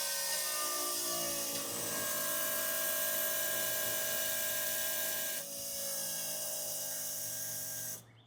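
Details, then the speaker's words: 1989 Foxbody fuel system overhaul, pump jumped from a battery with the engine off. Steady, even high whine as the pump primes and fuel returns. Normal pump running; a leak then appeared, possibly an unseated injector O-ring. "All right, let's get a battery and jump start this pump. See if we got any leaks. Okay, fire in the hole. Well, it sounds like it primed."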